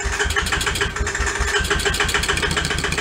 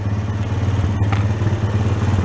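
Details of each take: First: Honda Sport Trac ATV, cranked by jumping the starter solenoid with a screwdriver, choke on, reverse lever unhooked: about four seconds of steady rapid starter chugging, never catches; cranks but won't fire, suspected switch not on. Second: Honda Sport Trac ATV single-cylinder after cracked case repair and carb blown out again, gas tank temporarily supported, air cleaner off: low steady thump with light valve clatter at a consistent idle; now running properly.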